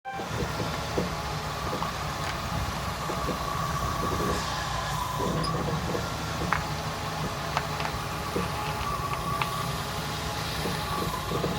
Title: CJ5 Strange Popping Sound